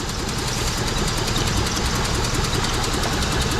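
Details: 2003 Mitsubishi Eclipse petrol four-cylinder, rough uneven idle with irregular chuffing pulses; multi-cylinder misfire (P0300) with two of four cylinders dead, power loss, high fuel use, fuel smell; ignition coils next checked.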